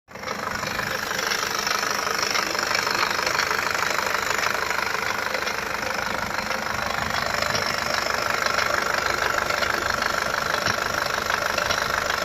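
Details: Nissan ZD30DDTi diesel at idle: steady idle with a sharp, regular knock about three times a second over it; source of the knock not determined.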